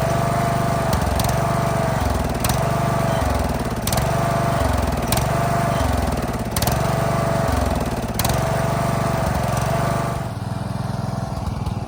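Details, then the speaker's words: Craftsman DLS3500 riding mower, sat for years with old gas, started on carb spray with choke; engine sags and recovers about every 1.5 seconds and dies when foot leaves the brake, suspected electrical safety switch fault. "so it started easy um but I don't know if you noticed what it was doing but it is I take my foot off the brake and it's dying"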